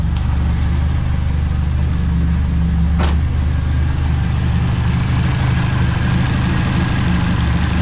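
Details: TVR Cerbera V8 idling before diagnosis of its long-running rough running, with coils, plugs and ceramic leads on hand; deep idle with a loping, uneven beat and no steady rhythm, suggesting an ignition misfire, cause suspected not confirmed: rough idle.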